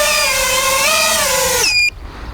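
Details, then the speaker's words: ARRIS X220 Pro FPV race drone flown in 2–3 mph wind until the low-battery alarm sounds constantly; motor whine winds down, then sharp repeating beeps signal time to land and disarm; motors only slightly warm afterward. "So I'm gonna keep flying it until it kind of just constantly beeps. Wow. Okay. So you hear that constant beep? So it's time to bring it down."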